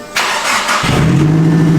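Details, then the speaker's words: Turbo Nissan Serena van's first start-up on the dyno with a new exhaust. A short crank, then it catches cleanly into a steady, even idle, sounding better than its first start thanks to the exhaust; normal cold start. "oh sounds good eh it sounds good it's totally changed this dude it sounds way better than our first start cuz of the exhaust and everything"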